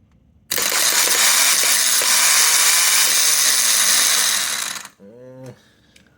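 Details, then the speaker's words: Starter from a 2002 Honda S2000 bench-tested off the car with a battery and jumper cables: a harsh grinding whir spins up then winds down. The car had given a crunch then a vacuum-cleaner whine; the motor is broken internally, not the solenoid. "I would say that's the motor it sounds like something's broken inside"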